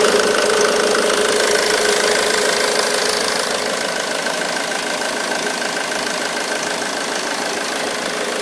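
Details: 2005 Ford Mondeo Mk3 2.0 TDCi 130 hp (96 kW) diesel at idle: quick steady metallic rattle over the idle; auxiliary belt tensioner rattle.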